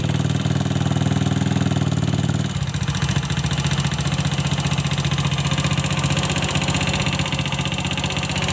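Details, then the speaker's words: Honda Scoopy FI scooter, noisy for several days, started with CVT roller housing removed: coarse uneven rattle over a low idle beat persists without the CVT, so rough noise is inside the engine; cylinder block and head to be inspected. "Bunyinya masih ada ya teman-teman. Berarti bunyi kasarnya itu bukan dari bagian CVT-nya ya, melainkan dari bagian mesin."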